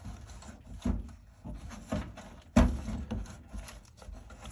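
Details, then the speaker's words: Brand-new GE dryer whose timer knob was stuck, after spraying the timer with WD-40: crisp ratchet clicks about once a second as the knob turns freely; timer advancing normally. "turning, turning, turning. Yep, that's the sound you want to hear, guys."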